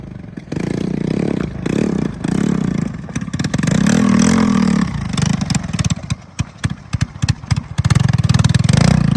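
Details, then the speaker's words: Honda ATC110 three-wheeler after carburetor rebuild and exhaust change, in second gear; revs surge and sag, then firing turns choppy and stumbles under throttle; more power than before, but fuel delivery is still lean, with jetting up or further cleaning suspected. "well it's got power a lot more than it did that's good um needs some tweaking needs slightly better fuel delivery maybe needs cleaning"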